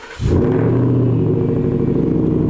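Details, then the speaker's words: 2017 Shelby F-150, supercharged 750 hp 5.0 Coyote, after a new full stainless dual 3.5-inch megaphone exhaust: engine catches and settles into a smooth, even, deep rumble with steady low pulses, no ticks or rasp; a clean, healthy exhaust. "Pretty good. I don't know if this is the right word, but it sounds nice and clean."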